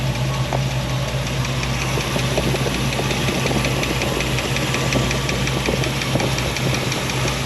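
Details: Chevy C10 pickup with a freshly rebuilt engine at idle: quick, even ticking keeping pace with the idle over a steady hum, a valve train noise traced to loose rockers that need valve adjustment.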